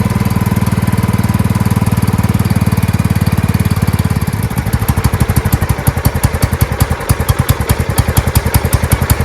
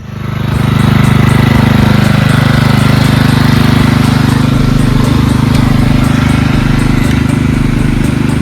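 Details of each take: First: Marching band hauler small engine whose carburetor flooded, fuel pouring out the muffler on first start; owner suspects clogging and a needle not seating; full-throttle pounding turning uneven and lumpy; carburetor flooding. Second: Marching band hauler single-cylinder engine after repair, before test drive; steady even beat about 3.5 pulses a second, no misses or surging, no fuel leaks, purring like a kitten; normal running.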